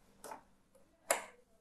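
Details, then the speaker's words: Teknika MJ-22 monitor rescued from a recycling dumpster, powered on from the mains for its first test: two crisp crackling snaps about a second apart in a quiet room. Normal CRT static at power-on, fading away as the tube warms up. "and i can hear the static going away so something happened"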